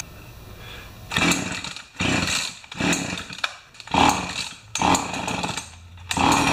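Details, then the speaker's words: Pioneer Partner 500 chainsaw after fuel tank clean and reassembly, kinked fuel line noted; revs in repeated bursts then sags to a weak, nearly dying idle between blips, idle speed set too low. "turn up the idle just a little bit"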